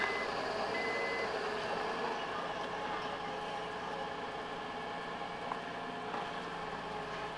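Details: A couple of thin, high seat belt reminder dings over a quiet idling cabin, likely the 2000 Acura, which also shows SRS, maintenance and check engine lights.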